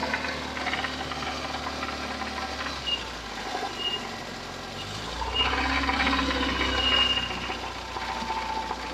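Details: UZAM 412 engine before repair: uneven rattly knocking about twice a second; teardown found broken connecting rod bearings, worn piston rings, crankshaft end play and a water pump near seizing, all replaced.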